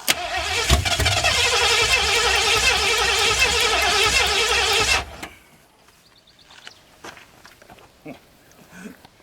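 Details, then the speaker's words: 1981 Ford Mustang 5.0, off the road since 1996: strong even cranking near three turns a second for five seconds, never fires; no start because the fuel tank petcock was left off, so no fuel flow. "This fuel tank has a petcock on the bottom. I forgot to turn it on. Well, there we'll get some fuel flow."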